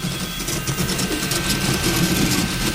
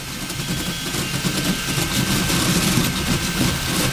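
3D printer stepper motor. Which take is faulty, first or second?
first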